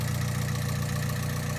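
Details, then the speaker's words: Honda Civic VTi D16Z6 all-motor build with a new Crower stage 3 cam and ported Skunk2 intake, idling after two hours of running on initial start-up: faint light valve ticking over the low rumble; valve lash needs readjusting once cooled. "yes and now you can actually hear it but it actually needs the band flash adjusted once again because it's been running for two hours now"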